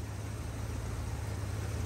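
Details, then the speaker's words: 1983 Ford with separate ignition coil, after swapping the weak coil back to the good coil: starts up and runs smooth and even, no misses or stumbles; normal running confirms the weak coil diagnosis. "see that starts up nice and smooth"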